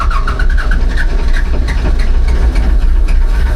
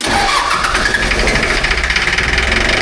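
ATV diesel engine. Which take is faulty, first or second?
first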